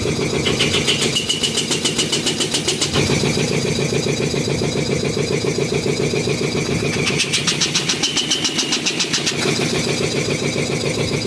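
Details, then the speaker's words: Restored old DeVilbiss 445 air compressor, both heads fitted, valves fully open, interstage coolers not yet installed: even piston thumping with bright clatter, no knocks; running normally and fairly quiet. "that just sounds cool. Oh fuck. And I'm sure the camera probably makes it sound louder than it is, but this thing, even just with the valves being completely open and shit, it's pretty darn quiet."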